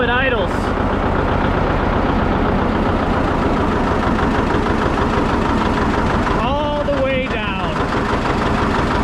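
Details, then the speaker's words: John Deere 730 two-cylinder diesel tractor throttled down to lowest idle: slow, loping beat hopping unevenly at very low idle, which is what you like to see; normal healthy low idle. "And it's hopping. This what you like to see."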